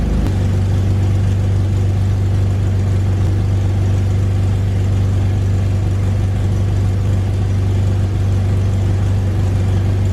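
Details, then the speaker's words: 2001 BMW E46 330i wagon idling after fitting aftermarket catless headers that fit poorly and hit the transmission: loud raw low drone with rapid puffing from a huge exhaust leak at the header flange. "no surprise there is the huge exhaust leak well let's see what we can do about it"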